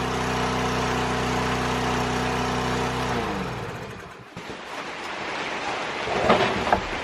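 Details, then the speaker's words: Lawn mower being repaired for running at full throttle, test start indoors: high constant buzzing drone never drops to idle, then cuts off abruptly; still running at pretty much full throttle. "Well, I think it's still running at pretty much full throttle."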